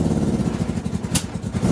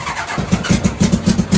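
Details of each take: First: Go-kart engine: uneven, stumbling beat with irregular pops and drops; the misfire turned out to be fuel starvation because the fuel pump switch was off. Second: NasKart go-kart after misfire diagnosis and fix, started with fuel pump on: engine catches and climbs into quick, even revs with steady pulses, no popping or stumbling; normal start and revving, much smoother.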